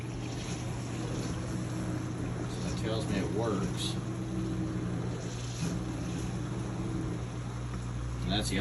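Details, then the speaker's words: Frigidaire Professional Series dishwasher with intermittent start/cycle problem, after disassembly: steady low hum with faint whir under water noise; washing and drain pump running normally, door switch ruled out by owner. "yeah it's washing it's not the door switch everybody kept telling me it's a door switch I can hear that it's even draining"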